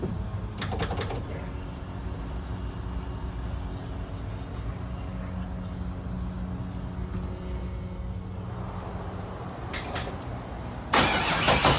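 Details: Turbo LS3 V8 in a Nissan 240SX, after new head gasket, head bolts and exhaust manifold gasket, torqued to spec and fresh oil: steady, even low idle hum with no ticking, tapping or knock; normal idle.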